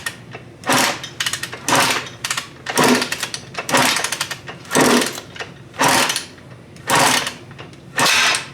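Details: Suzuki RM125 two-stroke with a new top end that won't start despite fuel, spark and air, carb removed and premix added, owner suspects no fuel: sharp raspy bursts about once a second, catching briefly and dying; still not firing properly.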